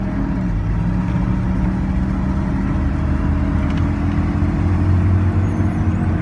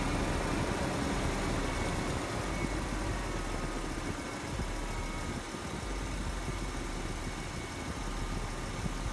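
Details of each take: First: After an epoxy repair of an exhaust manifold collector leak, the engine idles with a steady, even low rumble; only the rear mufflers are heard, no ticking or puffing at the manifold; repair holds, runs clean. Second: Chevrolet Silverado started to locate an exhaust manifold leak, suspected on the driver's side, with no visible leak spot. A steady idle carries a faint, quick puffing tick over the engine hum.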